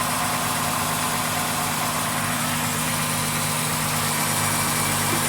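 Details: 2016 Dodge Grand Caravan 3.6L at startup with accessory belt removed: steady, even idle hum, no chirp, whine or rumble; noise gone without belt, first suspected timing chain or tensioner, found to be alternator bearing; normal idle.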